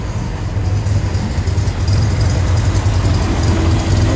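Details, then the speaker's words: Corvair Monza Spyder Turbo, 145 cu in flat-six, converted to a single Toyota-truck carburetor with electric choke, with electronic ignition and separate dual exhaust: fires up on the button and settles to a steady, smooth idle with an even lumpy exhaust pulse and no knocks. Normal idle. "It's got a really nice sound. It just idle smooth first."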